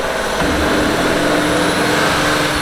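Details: Seat Mii engine recorded from underneath while revved, after timing belt replacement: light metallic clatter rising with engine speed; source unknown, separately driven water pump still suspected.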